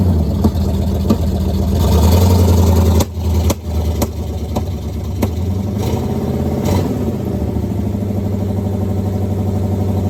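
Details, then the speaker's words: 1969 Pontiac Firebird with original numbers-matching drivetrain, first start after sitting since 1994: V8 catches with a rough burst, dips, then settles into a steady, even low idle rumble and creeps along with no brakes; runs fine. "20 some odd years of sitting, it not only did it start and run, it actually moves."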